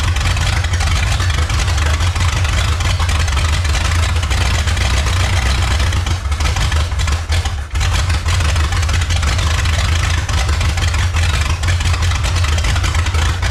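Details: 1954 Chrysler New Yorker 331 Hemi V8, first start after 50+ years in a salvage yard, unregulated ~5 psi fuel pump: heavy rough idle stumbling and dipping, carburetor pouring fuel; owner suspects too much fuel pressure, needs tune-up.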